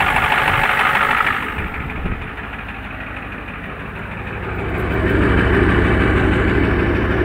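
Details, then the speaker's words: Warm used '93 IDIT diesel in a '93 truck at idle: sharp regular knock of about three per second, worse when warmer and present when decelerating with the key off, so not fuel. Owner suspects a lifter or rod knock. Cause unconfirmed. "it does it even when you're decelerating with the with the key off so there's no fuel to it so that makes it not a fuel the warmer it gets the worse it sounds"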